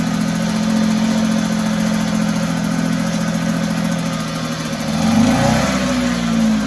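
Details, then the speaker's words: 1974 Mercury 4 hp single-cylinder two-stroke outboard in a water test tank after revival: buzzes unevenly, surges briefly, then sags and stalls as if fuel-starved after priming; owner suspects a tired fuel pump. "well we saw it run but I think it has one more issue from what I could tell when I pump the primer bulb and we'd get fuel and also everybody take off and it would go and then it would die again"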